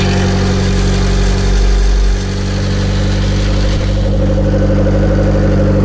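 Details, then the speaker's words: Honda EG9 Civic with LS-VTEC turbo swap, stock P06 ECU, first start after install: steady even idle about 1100 rpm, smooth hum, no knocks or misses, no check engine light; normal idle. "we are idling pretty good there's no check engine lights it's about eleven hundred"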